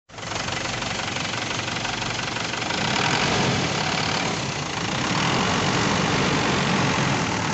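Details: Isuzu 4JH1-TC diesel (D-Max, VP44 pump tagged) idling roughly with an uneven, rattly, surging beat, sounding ready to die; it stalls at idle, cause not evident.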